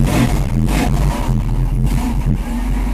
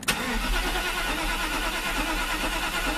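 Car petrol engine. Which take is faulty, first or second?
second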